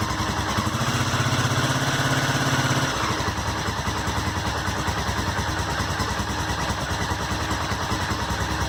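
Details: Honda SuperHawk 996 (VTR1000) V-twin just reassembled, fresh coolant: one blip then a lumpy but steady idle around three beats a second, no knocks or rattles; normal warm-up.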